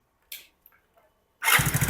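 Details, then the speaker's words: Hero Splendor BS6 new-model bike, just started: a quick, sharp "kat-kat" ticking clatter over the idle beat from the engine, valve tappet noise from loose clearance, later set to 0.10 mm intake and exhaust. "Engine start किया और engine देख कितना कटकट का sound आ रहा है"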